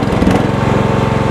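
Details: John Deere 160 lawn tractor, single-cylinder Kawasaki engine, 5-speed: fast, even putter with no misses; the engine starts and idles healthy, though the transaxle case is cracked and the gears are stripped so it won't move.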